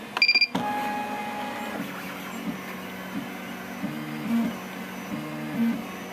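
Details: Rostock MAX v2 delta 3D printer after Astrosyn dampers fitted on its three axis stepper motors: soft low stepping hum shifting pitch as axes move, no harsh buzz; two other printers hum faintly behind. Motors run quiet.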